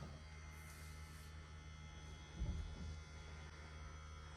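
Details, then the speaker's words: Land Rover 110 Defender (Purdey) second fuel tank transfer pump switched on from the cab, pumping fuel from the second tank into a can to time 4 L; faint constant electric whirr with steady low hum, fuel coming through quicker than expected; pump running normally. "I can hear that worring. And Chris is waiting for the fuel to come through."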